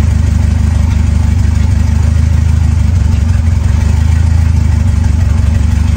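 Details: Ford 2.3L turbo Lima swap on a PIMPX engine computer, just started and warming up before base timing is checked against the computer setting: steady, deep, even idle with no misses, knocks or ticks; normal idle.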